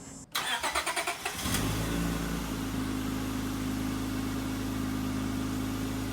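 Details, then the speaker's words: 2002 Acura TL Type S, J-series V6, 340,000 miles, first start after valve lash adjustment: brief crank, quick catch, then a smooth, even idle with no ticking or misses; valvetrain sounds healthy. "okay well there we have it everybody"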